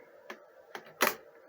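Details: GEYA automatic transfer switch with inverter backup, relays on a 10-second delay: three crisp mechanical clicks within about a second as it switches cleanly back to mains without chatter; normal relay switching.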